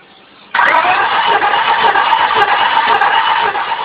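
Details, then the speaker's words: 1998 Honda Accord 4-cylinder VTEC compression test: starter cranks with an uneven, lopsided rhythm, one stroke easier; that cylinder reads 75-80 psi versus 180 on cylinder 2; dead, low-compression cylinder. "That's a dead cylinder. I'm going to go back to 2 just to verify. You can also hear the difference in the way the engine cranks due to the lack of compression on that one."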